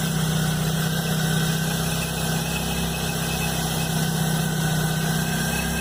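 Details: Chevrolet Blazer at cold start, noise appearing the morning after a mechanic replaced the timing belt and upper belt: steady low drone, faint hum, rough pulsing about four per second; cause unknown.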